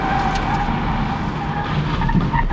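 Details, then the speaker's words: 2001 PT Cruiser at about 15 mph with toe-in out: road rumble with short tire chirps and barks when jerking left after turning right; tire squeal from toe misalignment. "Since the towin is out, it really wants to go when you go right or the tires actually bark when I dodge left."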